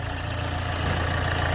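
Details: Hyundai Getz engine at 149,668 km, after clutch kit and oil pan gasket replacement for oil loss and poor pulling: steady, even low idle with no knocks, ticks or hunting; sounds healthy.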